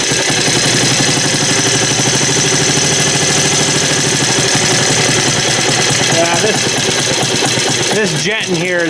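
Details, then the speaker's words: Small Lauson engine running rough with uneven chugging, firing pulses that stumble and wander; owner suspects dirt in the carburetor, which probably needs to come apart and be ultrasonically cleaned. "well sounds like it's got some dirt in the carburetor only know what to adjust on this carburetor it's kind of different"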